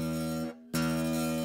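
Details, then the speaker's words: Zager acoustic guitar: a hard-snapped note gives a short buzzy string rattle on the attack. Heavy picking causes this even on a well-adjusted guitar, so the player's technique is at fault, not the setup. "if I hit it that hard I I can have the best well adjusted guitar and make it rattle that way uh so in other words you can't be a ballon a china shop you have to approach this with some finesse"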